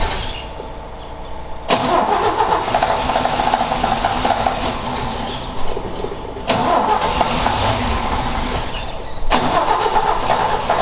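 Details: Ford XA Falcon, parked outside for a long time and not run, attempted restart with a hot coil and a poor distributor cap; engine catches, runs ragged and chops out, re-firing twice in eleven seconds as the float bowl runs dry: fuel starvation stalling.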